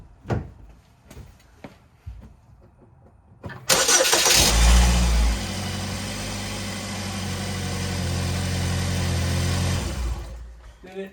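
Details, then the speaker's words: Car after exhaust repair fixing a leaking performance exhaust held by a roll pin; starter whirs, engine settles into steady even idle with no puffing or ticking, exhaust leak gone, sounds healthy. "sound okay to you? I think it sound pretty good to me."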